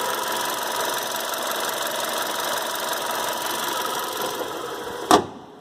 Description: Brand new VW POLO Mk5. Subtle strange noise near belt area.